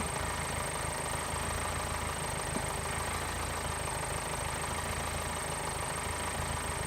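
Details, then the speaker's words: Subaru Forester with a dying battery, push-button start, jump-started with a portable TACKLIFE T6 pack: engine catches cleanly and settles to a steady, even idle without misfire or stumble. "when that sounds a lot more like what it used to before the battery started dying so I'm quite satisfied with that"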